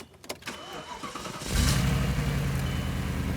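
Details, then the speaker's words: C5 Audi RS6 bought at auction, check engine light on, owner reports misfire at cold starts; already started once and moved briefly. Brief crank, then catches and settles into an even, steady idle with no stumbles; no misfire this time. "All right, I don't know if you guys can tell, but this car is not misfiring right now. It's actually running pretty smooth, pretty well."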